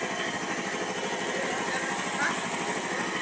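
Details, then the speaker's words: 5hp piston air compressor after replacing the piston pin and piston bearing, reassembled and refilled with oil, running quietly as it builds air pressure: even, steady piston chatter with no heavy knocking; normal, healthy running. "Ayan mga idol, okay na, napatakbo na natin, tahimik na yung compressor natin."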